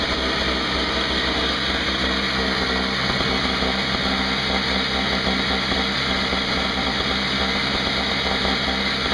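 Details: Craftsman 5hp 21" two-stroke snowblower test run outdoors after carburetor repair (leaking fixed), 20:1 fuel mix, not started in a while: steady high-revving buzz, no misses or knocks; running normally.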